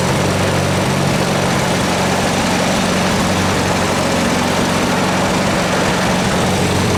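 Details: Farmall A tractor set up for antique tractor pulls, smoking, with compression on the low side. One cylinder reads about 65 psi against a roughly 90–100 spec. At idle there is a low steady beat with an occasional dropped, uneven beat as it cuts in and out, a suspected intermittent misfire.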